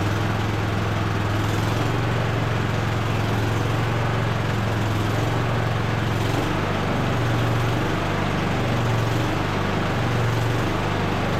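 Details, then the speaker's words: Cub Cadet LT1045 riding mower after fuel system repair, running on its own tank: small engine running fast with a drone that rises and sags every few seconds; still surging, air-fuel adjustment to be tried. "it is still surging a little bit I'm going to try to make an adjustment on the air fuel"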